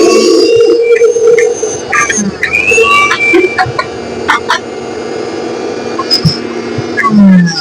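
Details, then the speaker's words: Mixer grinder after carbon brush replacement, overload-switch wire reconnected and reassembled: steady motor hum with no cutting out, some rattle and handling noise; no longer stopping, running properly. Normal running after repair. "आप देख सकते हैं, mixer अभी भी नहीं रुक रहा है। यह बिल्कुल सही तरीके से चल रहा है।"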